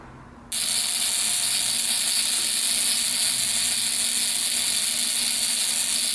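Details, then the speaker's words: Buzz coil on the bench, 10 A analog meter in series: harsh, steady high-pitched buzz; upper point spring has too much tension, so the points draw excessive current and need backing off. "what we want to do is we want to cut that walk down you want to be around around the dam"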